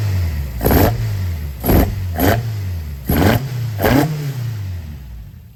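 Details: Toyota AE86 with ITBs and cat-back exhaust, running for the first time in a decade: five crisp throttle blips rise and fall between a steady, even idle. Normal healthy running.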